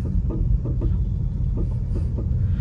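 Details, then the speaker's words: VW Polo, driving over bumps and speed breakers, heard in the cabin with new shock absorbers fitted: irregular hollow clunks above road rumble; suspected worn anti-roll bar (stabilizer) link rods, to be replaced. "अग इस तरीके की आवाज अगर आप आ रही है link road का काम करवा लेना लिंक रोड का काम होता है बेसिकली स्टेबिलिटी के लिए"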